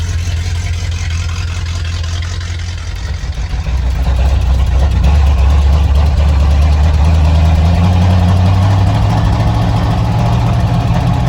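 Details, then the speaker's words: 1987 Ford Bronco XLT, cammed 351W, Holley 4-barrel double pumper, straight-piped headers, first cold start after sitting all winter: lumpy, uneven idle that stumbles, then smooths a little as the misfire clears up. Cold idle misfire. "hey what is he this firing talk about misfires Eddie did not like hibernating for winter I could tell you that right now"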